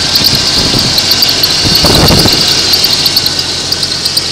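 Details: 1990 XJ idle after harmonic balancer replacement, cold day around 27–30°F: steady smooth idle with a thin high chirp, no knocking; healthy.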